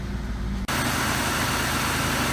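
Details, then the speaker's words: Long-stored Trofeo with 3.8 engine, 92,000 miles and old oil, first start after sitting: after a brief start-up it settles into a quiet, smooth, even idle with no knocks, ticks or misses, no smoke or check engine light. "Listen to how healthy that 3.8 still sounds. This car has always been so quiet."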